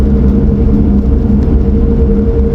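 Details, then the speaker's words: 1994 Toyota Celica GT4, turbocharged 3S engine with ECU Master ECU, cruising at 50: steady low rumble with a thin constant whine; owner suspects diff or rear bearing. "I can hear the diff or the rear baren I don't know what it is but they sound horrendous so annoying"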